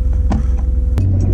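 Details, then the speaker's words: 2002 BMW E46 330i Clubsport just after fitting Direnza gearbox bushes meant for track use. Low-rev rumble with a sharp clunk as each gear engages, heard only since the change. Owner says such bushes bed in and soften after about 2,000 miles. "oh d noise sounds like a sequential well okay maybe a poor man's dog Bach get a clunk as it goes into gear listen"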